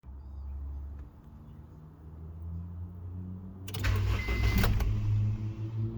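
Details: 1999 Honda CR-V with intermittent no-start and engine cutoff: a quiet low rumble, then a burst of cranking that catches briefly and falters; the engine struggles to start and cuts out, cause unclear.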